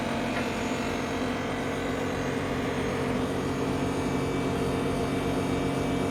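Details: Ninja Foodi 8-in-1 running cold in this recording (owner says the unbearable noise comes after warming up): loud steady drone with a low hum, no beat; far noisier than it should be, cause unclear.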